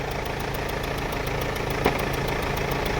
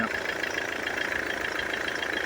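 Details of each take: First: Mercedes-Benz W212 E220 with the 651 four-cylinder diesel at idle after start, check engine light on: fast sharp ticking with occasional louder cracks from the front of the engine; a leaking injector is suspected. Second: Mercedes-Benz W212 E220, OM651 4-cylinder diesel, after replacing four injectors, with the check engine light cleared: steady idle with an even, quick clatter and no stumble or extra knock; normal idle.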